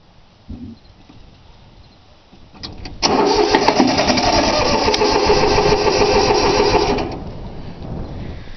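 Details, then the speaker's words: 3-cylinder Yanmar diesel cold start after glow plug heating: starter cranks at a steady beat for about four seconds but never catches or fires; forgot to bleed the fuel lines, so air in lines causes no-start, though it usually starts right up. "She ain't wanting to start. Just getting a little bit closer."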